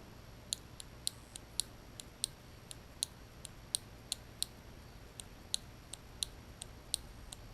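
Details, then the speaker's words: 1989 Lotus Esprit Turbo fuel injector pulsing on the bench: crisp, sharp regular clicks, about twenty in under eight seconds; this injector sounds good, unlike another that buzzed. "you hear the click here's the next one and that injector sounds pretty good"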